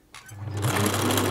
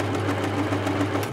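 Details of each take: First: 1980s Singer Futura sewing machine running fast: harsh clattering rattle over the motor hum from a dry rotary hook on the bobbin case; a drop of oil there made a huge difference. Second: 1980s Singer Futura sewing machine running after a drop of oil on the noisy bobbin case hook: even, quick stitching rhythm with a low steady hum and no hook clatter; running smoothly and quietly.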